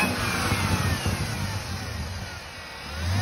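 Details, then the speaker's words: 2018 Chevrolet Camaro ZL1 6.2 L LT4 supercharger before rebuild; thin whine rising with revs like a bad power steering pump, from failed pulley-side bearings and coupler in the supercharger. "what it was doing was as you heard in the first video is making that loud not supercharger wine but the almost like a bad power steering pump one and it was doing it really bad it just didn't sound good"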